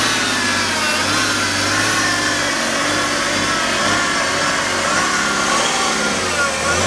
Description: Strange noise near stearing pump (Lenkpumpe)